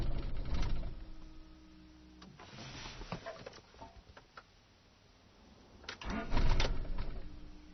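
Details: 1995 Rover 623SLi with a Honda H23A3 engine: the starter churns in two steady bursts but the engine never catches. The failed fuel pump was the cause; the igniter and main relay were also replaced.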